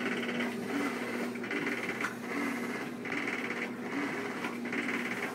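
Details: 2-year-old Whirlpool Cabrio washer: swishes back and forth every 1.5 seconds with a light rattle each agitation stroke, not during spin; owner suspects bearings, not confirmed.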